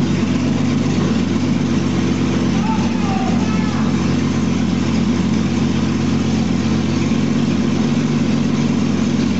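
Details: 2001 Jeep Cherokee Sport, first startup of the newly installed rebuilt engine with the exhaust not yet hooked up, after poor connections were fixed. Loud, steady, throaty idle with an even pulse and no knocks or misses; it runs normally.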